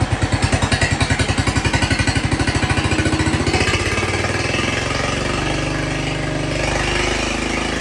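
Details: Jacobsen Chief 1200 tractor, cast-iron Kohler 301 single, after sitting about 3 years; aftermarket Chinese carburetor adjusted. Steady thumping at about eleven beats a second, then settles into an even idle with no misses. Normal, healthy idle.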